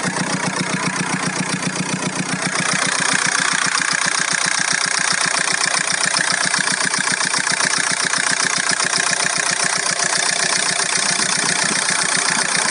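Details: VW Golf 4 1.9 TDI 115 4Motion diesel at idle: fast, fairly even ticking clatter about two or three beats a second over the engine note; owner hears a strange engine noise, source not pinned down.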